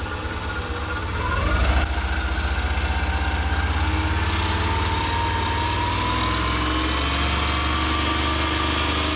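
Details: Subaru EJ22 boxer engine after reinstallation, foot held against it: blips and settles into a steady even idle with no metallic rattle or tick; ticking noise solved.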